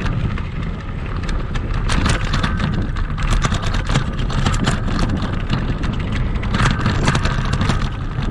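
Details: Kugoo Max Speed electric scooter on sandy off-road terrain, camera on the front stem: irregular clatter and sharp knocks on every bump, everything rattling; noise points to the front fork and a squeaking spring shock.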